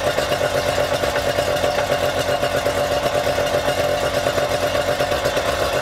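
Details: Yamaha outboard run out of the water on a two-sided dual-entry flush muff with water flowing: smooth, even idle with a steady pulse, no stumbles, misses or knocks; this muff worked surprisingly well; normal idle.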